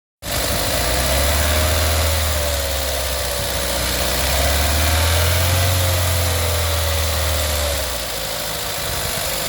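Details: A VW 1.4 TSI CAXA idles with a light, constant clicking rattle throughout and a rough idle at the end. The timing chain guide is broken and the chain has skipped teeth; the fix was a full timing chain set plus oil pump.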